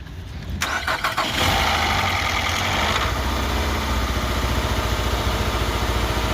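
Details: 2007 Nissan Altima cranks, fires and settles into idle with a busy, uneven clatter riding over it; abnormal engine noise at idle, cause not yet identified.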